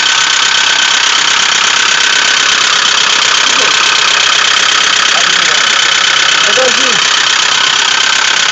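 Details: 2007 Ford Focus 2 1.6 100 hp hatchback, 78,000 km, after crash, 3 years stored and replaced oil pan, on break-in drive: harsh roar with repeating knock about two beats per second at 3000 rpm from rear of engine, light smoke; cause unknown.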